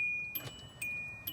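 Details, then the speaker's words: 1999–2006 Kia Optima/Hyundai Sonata with the key turned: only a soft key chime repeats about every half second, with no starter click or cranking. No crank, no start; a weak battery is suspected, not confirmed. "and you can hear it's just not doing anything it's not turning over"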